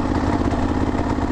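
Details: Kawasaki KLR650 single that suddenly lost power on the highway, limping to a gas station: lumpy, labouring chug staying low and flat without picking up; bogging and won't rev, cause unconfirmed.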